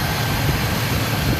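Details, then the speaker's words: 2003 Chevrolet Silverado 4x4 5.3 V8, a totaled auction truck, jump-started at the lot with check engine light on and a power steering cooler leak: steady, even low idle rumble, no ticks, squeals or belt chirp; idling smoothly and burning nothing. "but dude it's going smooth that's looking good it's not burning anything in the engine it sounds pretty good belts look good no squeaking nothing like that"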